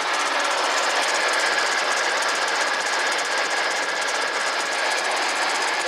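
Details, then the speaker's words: Ford Expedition 4.6L V8 running: constant high bearing squeak over rapid engine chatter, traced with a stethoscope to a worn tensioner pulley bearing. "the issue I have is when it's running got this gut awful constant sounds like a bearing squeaking sound down in there"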